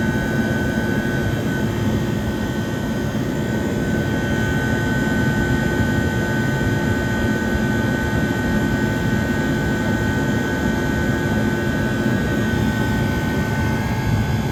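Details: 1978 Comfort Air Quiet Master window air conditioner, dirty but 28–29 degree coil split, condenser around 106–111: loud even compressor hum with smooth fan rush and steady motor tones, no knocks or rattles; running normally.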